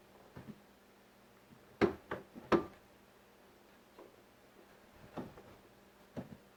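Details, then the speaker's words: 2001 Chevy Silverado driver's door after door check replacement: soft, firm clicks as the door settles into each stop, no creak or pop, much quieter with solid detents; door check working normally. "Nice solid detents. Yep, nice solid detents, and it is much quieter."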